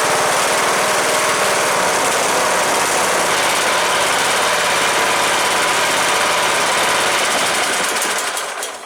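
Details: Cub Cadet LTX 1045 Kohler Courage single-cylinder engine after counterbalance repair for knock (ran without oil) and fresh oil: loud steady chatter at even speed, no deep knock, winding down at shutdown; normal running.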